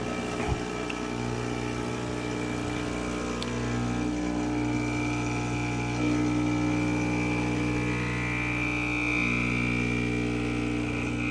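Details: E61-group espresso machine (Profitec Pro 600 vs Expobar Brewtus IV comparison) pulling a shot after light pre-infusion: a constant low droning pump hum, steady with no sputter or rattle. Normal pump operation.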